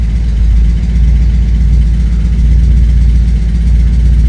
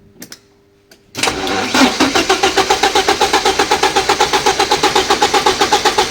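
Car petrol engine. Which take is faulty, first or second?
second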